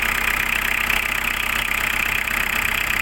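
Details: Diesel car that starts hard and stalls: loud, hard clatter ticking about four times a second over the idle; diesel knock from injection timing advanced too far.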